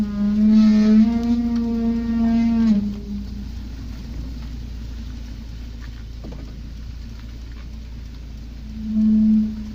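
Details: Volvo 740: a loud, low groaning squeal wavering in pitch for about three seconds while braking slowly, then returning briefly; strong brake squeal at low speed.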